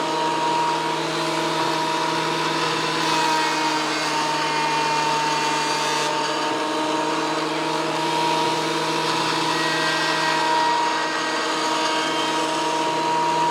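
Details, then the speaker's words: WEN PL1326 15-amp 13-inch spiral benchtop thickness planer after repair of damage from misuse, feeding a small board: steady even motor drone with clean constant whine, no knocks or chatter; cutting normally again. "well that was running through real nice gotta like that seems to be functioning again"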